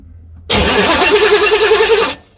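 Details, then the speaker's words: 1986 Chevy C4 Corvette TPI 350 with rusted injectors and a leaking fuel rail: even starter cranking under two seconds with regular compression pulses, never firing; cranks but won't start, with not enough fuel suspected. "when it turned over it like, you know, it just it sounded like it was trying to start. There just wasn't quite enough fuel there."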